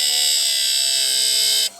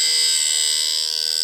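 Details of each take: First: Wood-Mizer automatic bandsaw blade sharpener, run outside at speed setting 3, for LT40 sawmill blades: steady high-pitched electric whine with short break then even resumption; running smoothly, run slowly to avoid heating the blade. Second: Automatic sharpener grinding Wood-Mizer bandsaw blades for an LT40 sawmill: a high, steady grinding whine through the pass; the grinder head is set slightly too high, not reaching the gullet, and needs lowering a smidge.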